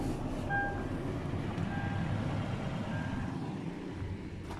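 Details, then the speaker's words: 2010 Toyota 4Runner, pre-purchase inspection, listened at the rear after a jump-start: even, low idle rumble with no puffing or ticking, faint intermittent chime; no exhaust leak, smoke normal color. "there are no exhaust leak so sounds good in the back the smoke is in a normal color"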